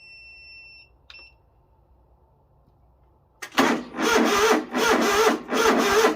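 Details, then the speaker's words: Project riding mower on a slightly low battery with a booster pack: starter labours in slow, heavy turns about one per second and never catches; slow cranking; owner unsure whether the fuel pump is bad or it isn't turning over fast enough. "I brought this battery and it would crank it was really slow so I'm not for sure if it wasn't pumping fuel because the pump is bad or if it wasn't turning over fast enough"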